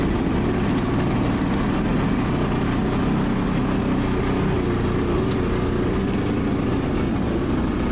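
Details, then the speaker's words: 2017 Ski-Doo Skandic 550 WT, 550cc two-stroke, tested after drive belt replacement: steady even drone, no surging, slipping or rattles; normal running. "Brand new again. So that's how you change the belt on a Skidoo Skandic 2-stroke."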